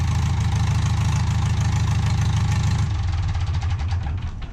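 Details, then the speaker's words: Case David Brown 995 tractor after injector pump work, cold start: loud, even diesel clatter at about three beats a second with no muffler, firing cleanly on all cylinders, runs healthy. "She sounds great. Hang on. I'm just going to tighten them back up."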